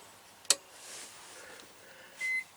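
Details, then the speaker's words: Power inverter run on battery after repairing hidden broken ground wires (spliced with butt joints, rubber hose refitted): soft click then one brief high beep, lights full; normal power-up beep. "Okay, didn't take a whole minute, maybe 20 seconds, but it beeped."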